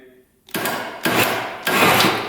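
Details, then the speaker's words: Polaris Sportsman 500 4x4 ATV, auctioned after sitting about 20 years: labored starter surges roughly every half second, no firing; battery very low, so it cranks slowly. "yeah start putting works this thing's really low on battery that's why it's not cranking over very fast"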